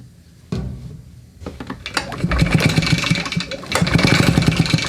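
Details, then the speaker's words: RedMax two-stroke leaf blower with a lean-looking plug, run after carburetor cleaning, tank cleaning and fuel line replacement, on old gas, unused a long time; starts after a few pulls and buzzes fairly steadily; normal two-stroke start and run. "sounds good put a little more in there the gas is old this hasn't been run a long time"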